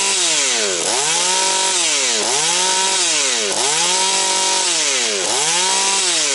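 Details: Husqvarna 240 chainsaw, mixture leaned to 2 and 1.75 turns, idle raised: crisp rev-ups about once a second, falling cleanly to idle without hang or surge, no air leak. Normal running.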